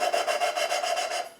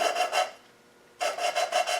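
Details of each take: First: V8 cylinder head valve being hand-lapped with fine cutting compound, no oil on the stem or guide: a dry, gritty rasp pulses with each back-and-forth twist, then goes quieter as the grinding paste cuts the valve into its seat. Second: V8 cylinder head valve hand-lapped with fine cutting compound: rhythmic rasping strokes, about three a second, in bursts with pauses, growing quiet as the valve beds into its seat.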